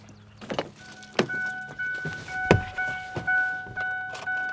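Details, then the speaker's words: Older Ford service truck, engine bay looks clean: short starter bursts, then it catches easily and settles into an even idle with no knocks or misses; healthy start. "up here so don't sound too bad it starts up easy"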